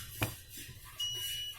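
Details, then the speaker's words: DVR power-on beep: hard disk not detected. The customer's 12 V 5 A adapter was checked and 12 V reaches the board. There is one short high-pitched beep over faint room hiss, and a bad drive power cable is noted. "is not detecting the hard disk, it has sound, only then I insert the hard disk"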